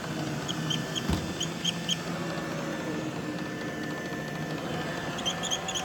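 Faint repeated high chirps, clusters of sharp squeaks up high over a soft motor hum, squealing from the robot vacuum, cause unclear.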